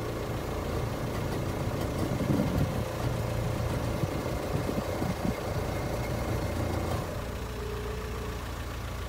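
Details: 2005 VW Transporter T5 1.9 TDI idling: rough steady diesel idle with a faint droning whine from the failing power steering pump; fix is a new pump with original green hydraulic fluid.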